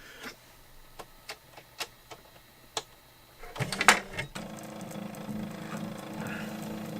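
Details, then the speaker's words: New-in-box circa-1985 Epson DX-10 daisy wheel printer, paper advance via button: sharp single button-press clicks, then smooth even mechanical whir as paper feeds; advance seems to count button presses; normal paper advance. "okay I think it's taking into account how many times I push the button"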